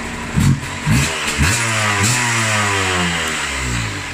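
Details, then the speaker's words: 2001 Yamaha TDR125 two-stroke with Arrow exhaust and Boyesen reeds, after renovation: crisp, rising two-stroke buzz climbs and settles smoothly with each throttle blip, clean and even; healthy engine. "Voilà, ça marche bien, hein. Vous n'avez pas l'équivalent, hein. C'est vraiment super, hein."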